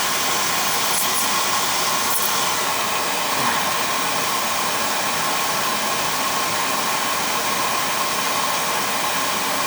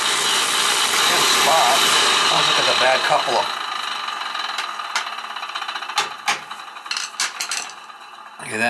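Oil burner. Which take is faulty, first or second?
second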